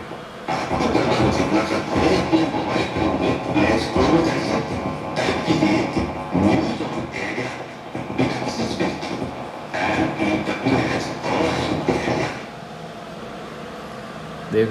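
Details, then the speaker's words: Universal UP-6500DP 500/650 W amplifier: music comes through harsh, gritty and broken up on loud passages. Distorted output. "आप सुन पा रहे हैं destroyed sound है तो आइए खोल लेते हैं इसको कि इस तरह की प्रॉब्लम है"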